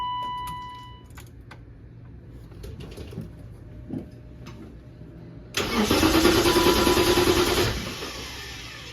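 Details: BMW given away as 'ran when parked' after sitting: quiet clicks lead to a short crank, then it catches and settles into a steady idle.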